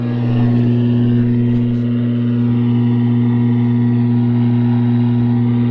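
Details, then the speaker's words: Lafayette vintage tube radio, unrestored, magic eye tube dead: loud, constant low mains-frequency buzz that never fades, blamed on a bad filter capacitor under the chassis. "Complete with spider. This is what's causing our humming issue."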